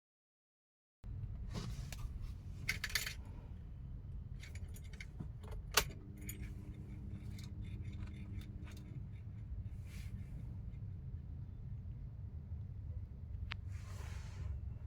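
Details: Tata Altroz, owned since 2021, dashboard behind the glove box: irregular light clicks and ticks for about 10 seconds after the battery turns on, over a low cabin hum. Owner attributes it to a malfunctioning AC in/out (recirculation) vent flap; it stopped once the vent switch was turned off.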